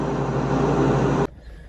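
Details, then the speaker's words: Snapper SPX 46-inch riding mower after new cutter deck belt installed: smooth steady engine drone then clean shutdown, no belt squeal or slap; normal running. "All right, so I got it turned on. Let's test her and make sure she works. Sounds good."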